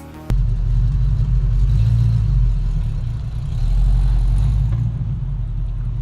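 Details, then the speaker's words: Manual-transmission car pulling away in first gear as the clutch is released: low, heavy droning rumble that strains without gaining speed. Engine lugging from too little throttle, so add more gas. "If it sounds like this, you need to add more gas."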